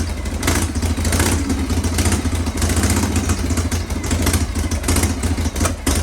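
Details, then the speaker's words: Kick-started Shovelhead V-twin chopper with S&S Super E carb: lumpy, uneven idle with irregular popping over a low rumble, wouldn't start without the enricher, mixture still needs setting up. "I think it needs a little bit of setup gas off um needs a little bit of setup but you saw you saw the routine so it it didn't want to go without the enricher"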